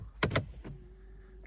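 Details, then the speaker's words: Mercedes CLS63 AMG V8 after a new starter motor was installed: sharp starter clicks with no cranking; the starter activates but the engine won't turn, and the owner plans to check the crank by hand for seizure. "clicking what's happening there there the battery so unfortunately it seems like the car is not starting up still but as you can see you can hear the clicking sound so the stter mot is definitely activating at the moment"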